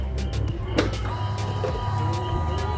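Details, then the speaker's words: Honda Vario scooter after replacing the fuel pump unit: steady, even pump hum over a smooth low idle, no stumbling or surging; fixed intermittent stumbling. "Tuh teman-teman, suaranya juga enak ya, dengungannya juga pas. Teman-teman, langsamnya enak ya."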